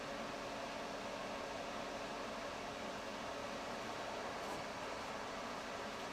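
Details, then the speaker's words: Suburban RV furnace after wall thermostat replacement, blower running: quiet, smooth, even rush of air with a faint steady hum, no rattles or scraping; thermostat clicked on and furnace runs normally. "I hear it clicking. I don't know if she has a propane on or not, but it's running, it's working."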